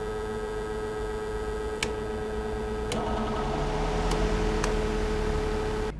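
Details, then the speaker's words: Electric fan switched on and run on power from a low-cost 12V 1.5kW all-in-one solar inverter, later compared with grid (TNB) power; a strange steady hum with fixed buzzing tone under the fan noise: motor hum from inverter output. "Ni bunyi yang kita dengar semasa kita onkan kipas angin dengan menggunakan power daripada inverter ni."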